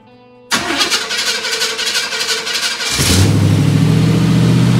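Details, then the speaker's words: 1955 Chevy V8 after disc brake conversion and new Magnaflow mufflers: cranks a couple of seconds, then catches and settles into a deep, steady, even burble, sounding much better than before the mufflers. Normal start and idle. "a lot better how's it sound in there how's it sound that's a lot better round now okay good"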